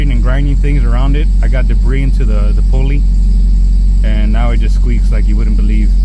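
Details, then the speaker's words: Honda F20B engine in an H2B Brough Performance plateless kit, cold idle around 900 rpm: a repeating high chirping squeak over the idle. Owner suspects the alternator pulley and plans to clean it. "you guys hear that squeak it's my [ __ ] alternator I guess"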